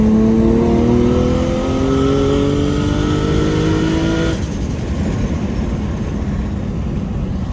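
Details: Turbocharged engine after fixing pre-turbo exhaust leaks at external wastegate flanges (cheap clamps replaced with genuine TiAL clamps): smooth rising rev note, no rattle or hiss; normal turbo engine revving.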